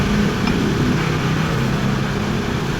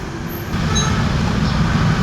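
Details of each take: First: Scooter CVT after torque drive bearing replacement, which had been confirmed as the noise source: steady even drone with no whine, grinding or rattle; normal CVT operation. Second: Scooter CVT: a steady low rumbling drone with a faint high squeal over it. Confirmed to come from a worn torque drive bearing, which is then replaced.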